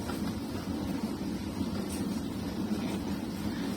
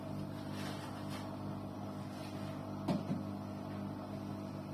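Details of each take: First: Arçelik 6343 dishwasher, running empty after tilting it to drain water and clear a possibly blocked switch channel under the tank, which ended its loud droning: even low hum with soft steady water swish; washing normally. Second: Arçelik 6343 dishwasher switched off and not running: a steady low droning hum with one brief click. The hum stops when the door is opened and persists after cleaning.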